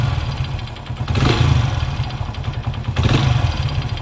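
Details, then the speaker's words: Hero HF Deluxe motorcycle: hollow tan-tan tapping knock riding over the revs, louder as throttle is blipped and released. "तो friends देखिए engine से एक तन तन का स्वर्ण सुनाई दिया है सुनाई दे रहा है जैसे हम टोटल दे करके टोटल कम करेंगे काफी तन तन का साउंड सुनाया जाए देखिए"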